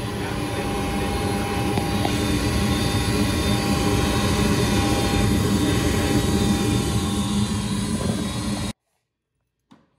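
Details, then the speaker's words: Goodman gas furnace on a no-heat call, flame sensor looks fine: loud steady roar with a low "helicopter" throb about three times a second from the draft inducer motor; rough and noisy but not critical. "Okay, a little bit of helicopter action here, but pretty nice guy. Not really bothering anybody."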